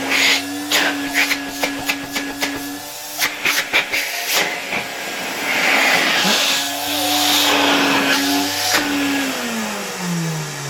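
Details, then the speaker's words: 1970 Alfa II vacuum cleaner after its broken motor was replaced: a steady high motor whine after some knocking at start, falling smoothly on spin-down; runs well, though dust puffed out at first start and the owner suspects audible bearings. "It works quite well, although a cloud of dust came out of it after the first start"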